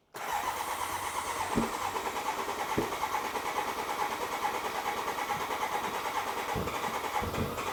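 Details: BMW K100 cafe racer project, first start after siphoning and flushing old bad fuel and adding fresh fuel: catches immediately, smooth even idle, no knocking or ticking; runs normally.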